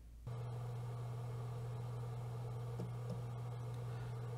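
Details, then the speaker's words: G-Technology 12TB G-Raid external drive after replacing its noisy rear fan with a Noctua NF-A4x10, lavalier mic in front of the fan: faint, smooth, steady low hum, no rattle, tick or buzz; normal fan running. "here's a storage drive sitting happily on the little shelf i built for it it's working perfectly sitting here i cannot hear the fan above the normal low noise of the hard drive spinning there's no noticeable fan noise"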